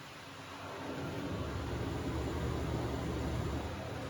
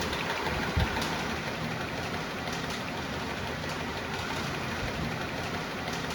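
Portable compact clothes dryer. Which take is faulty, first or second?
second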